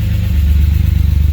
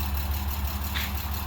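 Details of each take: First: BMW E36 M3, back on the road after sitting, valves noted as ticky and lifters needing bleeding. At idle a deep, even burble with a steady pulse and no hissing or puffing: no exhaust leaks heard, a healthy exhaust. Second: Daytona Violet BMW E36 M3 revived after about two years of partial work and sitting. At idle a faint quick tick of about two per second rides on top; valves are said to be ticking and to need high RPM. Valve-train tick suspected.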